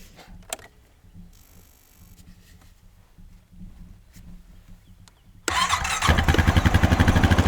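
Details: Small farm equipment single-cylinder engine after spark plug replacement (no visible spark before): quiet, then catches at once and settles into a steady, even idle pulse with no misses; normal start and idle.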